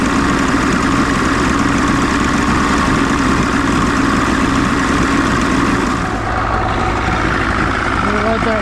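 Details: 1993 Johnson 60hp two-stroke outboard idles steady and even with no misses or stumbles after Deoxit cleaning of corrosion; owner suspects corrosion on a battery cable caused the problem.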